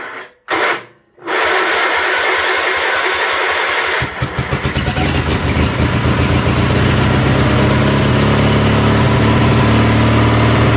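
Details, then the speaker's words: 1976 Sears SS18 garden tractor just started on a fresh battery with a spark tester attached: loud, uneven, stumbling idle dropping pulses; misfire at idle, owner suspects the spark tester or a loose front spark plug with possibly stripped threads. "That was pretty easy. It's misfiring quite a bit. Could be because I have that spark tester on there, but I did notice that this front spark plug was loose."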